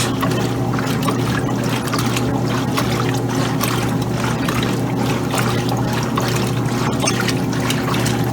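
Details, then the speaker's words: 2007 Kenmore laundry center (Frigidaire-built), regular cycle, cold water, large water level: a steady low motor hum with rhythmic sloshing as the agitator swings back and forth. Smooth, normal agitation with no knocks. "I can see those clothes are actually turning counterclockwise. And of course, this is the 2007 model on this. Agitating the clothes is really great."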